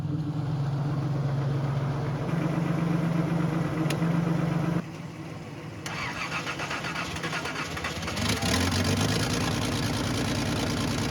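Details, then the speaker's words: 300,000-mile Datsun 280ZX, just revived with a new fuel pump relay, idling with a low, lumpy puffing rhythm from a slight exhaust leak. "dead as you can hear it has a slight exhaust leak"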